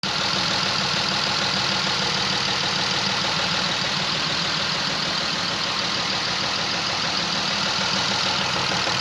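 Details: Chrysler LHS 3.5 V6 at idle: hard, diesel-like clatter over a hissy background; the engine is knocking, cause not yet identified.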